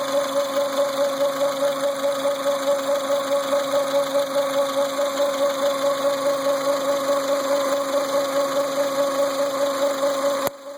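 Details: Renault Symbol idling: steady mid-pitched whine with slight pulsing over the engine; humming power steering pump.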